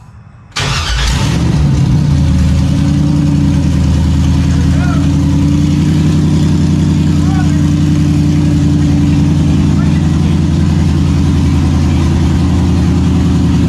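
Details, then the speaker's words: 1957 Chevy Bel Air with LS 5.3 V8 and 4L60 swap, after chasing down bad grounds for the coils: quick crank, catches at once and settles into a strong even idle; starts and runs normally. "I think we've got a solid ground now so hopefully the coils will fire and this thing will run let's find out all right here we go"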